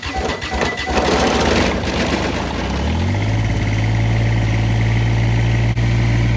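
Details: Kubota BX1850 diesel tractor after new ignition switch, battery and terminals: a few seconds of cranking, then it catches and settles into a steady, even idle, pitch climbing slightly as it comes up to speed; normal start.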